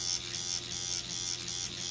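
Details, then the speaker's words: Steeldriver tattoo machine with an 11 mag working on skin: high buzzing hum in short bursts about twice a second, pitch staying crisp; responds well to skin with good penetration, still snappy off the tip; running normally. "and you can hear this machine responds to the skin great so getting great penetration still Snappy off the tip"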